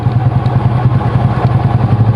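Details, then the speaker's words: Honda Supra small single-cylinder motorcycle, reassembled after a clutch repair for slipping (clutch housing gap worn to 1.5 mm): a quick, even low idle pulse with no clatter or misses, a calm, normal idle. "Suaranya adem,"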